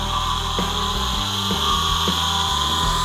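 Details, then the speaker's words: Used electric forklift motor from a parts pile, powered up for an electric dune buggy project: steady high siren-like whine with a rough grinding edge throughout while spinning; cause unclear. "It's a pretty sad state. This motor sounds more like a siren or something. It's really grinding. It's whining."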